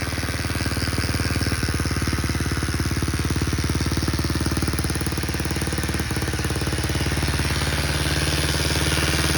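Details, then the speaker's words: Baja Motors DR50 dirt bike (Chinese copy of 2002 Honda XR50), engine rebuilt three times, clutch adjusted: fast harsh buzz over the idling exhaust beat, gone with clutch pulled in. Owner suspects a bent kickstarter pawl ramp letting the pawl contact the gear. "I just rebuilt the motor and I thought I had it all in there, but I still have this annoying buzz coming out of the engine."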